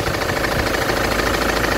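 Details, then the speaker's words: Ford Transit idling, knock unchanged after replacing ignition coil: steady rapid knock over the run; diagnosed as noisy crankshaft pulley. "Сказали, что шумит шкив коленвала."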